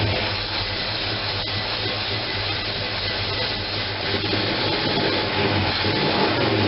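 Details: First run after gas tank install: engine runs uneven and lumpy with a wavering beat and breathy rasp, no leaks, because the manual choke was left fully closed; once opened it idles at 700.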